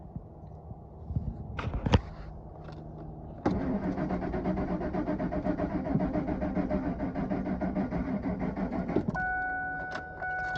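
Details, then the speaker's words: 2003 Ford F-150 4.6 V8; crank sensor, cam sensors, plugs, coil packs, starter and fuel pump already replaced. Starter churns steadily for several seconds but engine never fires, battery going dead; owner told ECM possibly at fault, cause unconfirmed. "sit here and crank it over for a while it eventually started and run great and then we took it for a drive it ran great drove great job back home never started since"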